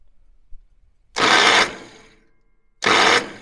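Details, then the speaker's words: International 424 tractor rescue, starting spray tried: two short half-second starter whirs about 1.7 seconds apart without cranking the engine; starter won't engage, no fire. Cause unconfirmed. "great eric starter don't want to engage"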